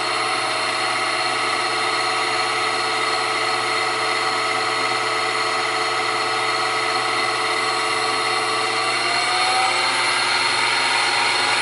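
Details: New Grizzly G0758 benchtop mill, low range 50–1,000 rpm, starting near 50 and run up to maximum. Steady whining drive climbing in pitch, no gear clatter or grinding; normal spindle run-up.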